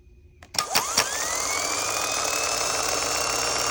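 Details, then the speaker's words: Starter from a 2020 Ram 3500 6.7L Cummins with a suspected stuck solenoid, connected directly to a battery: a couple of clunks, then a smooth whine climbs and holds steady; the starter spins freely and evenly. "And holy crap, it's good. Sometimes it works, guys. Sometimes it don't."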